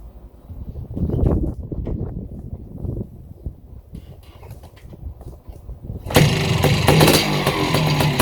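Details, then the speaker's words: Yamaha YZ490 air-cooled single-cylinder two-stroke after rebuild with correct kickstart idle gear parts, first start: fires into loud crackly fairly even idle, running right direction; maybe slightly rich, burning off assembly oil. "sounds good all right sounds good man these uh these air cooled motors are sure noisy though listen to the top end of that thing it sounds like dynamite like it's gonna explode idle and clean"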